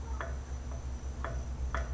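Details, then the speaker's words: 1985 Chevy C10 10-bolt 8.5" rear axle being re-geared to 3.73 with Truetrac posi: ring gear rocked by hand gives sharp light clicks; backlash about .008 in on the dial indicator, within the .006–.010 spec. "If you can hear that, that sound pretty much is our backlash. All backlash is is how far away the ring gear is to the pinion gear."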